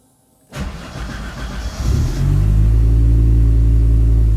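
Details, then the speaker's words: Audi with newly installed engine, after cam cover trouble was fixed, before fitting an Accusump auxiliary oil tank against low oil pressure: clean crank, quick catch, then deep steady idle with an even beat, no knocks or rattles, "like clockwork"; normal start and idle. "Nagu kellavärk. Tundub hea. Lasen kergelt soojaks, tagurdan tõstukile ja siis lähme juba kapoti alla toimetama."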